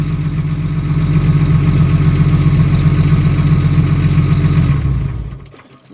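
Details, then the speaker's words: Jeep ZJ at idle: loud deep puffing rumble about four pulses a second until shutdown, exhaust escaping through a big rust hole in the muffler and leaking fumes into the cabin. "well there's a big huge rust hole in my muffler"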